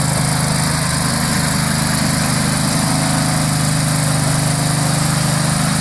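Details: Struck Magnatrac MT2000 with a newly fitted Predator 670 22 hp twin-cylinder engine, first start: even, steady V-twin thrum at a constant speed, no misses, knocks or hunting; the engine runs smoothly.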